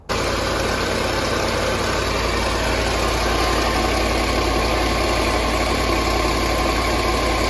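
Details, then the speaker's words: Land Rover LR4 idling rough and uneven with an irregular stumble over the steady drone; codes show misfires on cylinders 2, 4, 6 and 8 (P0300 random misfire) plus coolant codes, combustion gas test under way. "you can hear it's not running too good"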